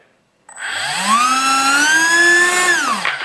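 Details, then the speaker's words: Crashed foam L-39 RC jet being repaired, electronics bench-tested after setting the speed control: electric ducted fan whine climbs smoothly, holds steady, winds down without rattles or rubbing, blows things off the desk; normal fan and motor run, electronics in good shape. "it blows stuff off my desk, it sounds like the fan's working too. So the electronics seem to be in good shape. Everything seems to be working, it's making noise."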